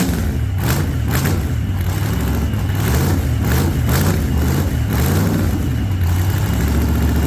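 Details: 1948 Chevy Fleetline small-block V8 (4-speed), freshly started after sitting a while and a motor repair, after heavy throttle pumping: deep, lumpy rumble with throttle blips that rise and fall cleanly. Running fine.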